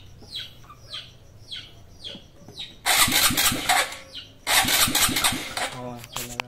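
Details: Honda XRM 125 fuel-injected, needs engine refresh: cranks and scrapes several times, catches briefly twice and dies each time; hard starting and won't idle. Cause suspected, not confirmed.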